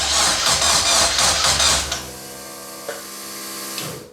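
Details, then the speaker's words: Locost 7 kit car with stock ECU, after swapping relay wiring so the ECU grounds the relays, cranking: fast rhythmic cranking churn, then a steady even hum of the fuel pump running as it should. "fuel pump big Mighty fuel pump running"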